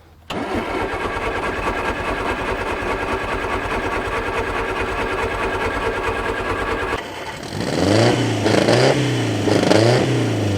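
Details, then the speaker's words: About 50-year-old Mk1 Ford Escort camper project, fuel tank drained of old bright green fuel, manual (not electric) fuel pump: steady starter churning about seven seconds lifting fuel to the carb, then it fires and revs unevenly; extended cranking before start. "am I being old or it's not got electric pump on it no it's manual is it manual yeah so you gotta crank it for a bit to get it up there"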